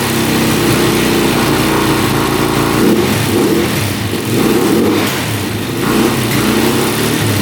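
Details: 2004 Suzuki LTZ400 quad, sat 10 years, running with fuel tank disconnected to avoid flooding: single cylinder revs up and drops back cleanly in slow swells with even firing; previously flooding, suspected low compression.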